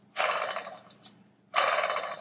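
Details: Porsche 997 Turbo, engine out, old water pump spun by hand: two gritty raspy bursts from a dry, rough bearing; noisy pump being replaced, new pump completely silent.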